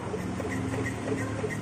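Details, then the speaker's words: Honda Vario automatic scooter idling with faint short high chirps about three a second near the lower under-cover, caused by the brake cable rubbing against the frame. "Jadi penyebab bunyi seperti tadi itu antara pergesekan dari kabel rem sama besi bodi ya, Ya. rangka."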